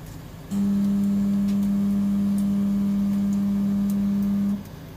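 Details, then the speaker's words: Off-brand air conditioner not cooling: the outdoor unit hums loudly for about four seconds, then cuts out. The capacitor was ruled out and the compressor is seized. Tapping it and fitting a larger capacitor didn't help. "这台空调不能制冷，开机的时候我能听到外机发出的声音，然后马上停掉，我还以为是电容坏掉了。查了下，发现并不是电容损坏，而是压缩机卡缸"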